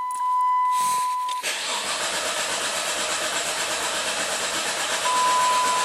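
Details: Engine cranked during a relative compression test with a two-channel lab scope: steady even starter churning with no stumbles between compression strokes; balanced compression.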